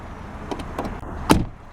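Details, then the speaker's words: 2008 Saturn Astra XE, 1.8 L Ecotec inline-4, about 110,000 miles: door closing gives a short dull thud with a loose-sounding clunk instead of a solid latch; clunky door closing, cause unclear. "that door doesn't sound very good when it closes listen to that kind of clunky"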